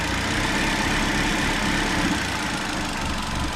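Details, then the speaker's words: Honda i10 engine misfire: slightly raised idle with uneven stumbling beat and occasional skip, vibration felt when throttle raised; one cylinder faulty, suspected lack of proper fuel or spark current, not confirmed. "यानि कि इसमें कोई भी एक cylinder जो है वह problem कर रहा है"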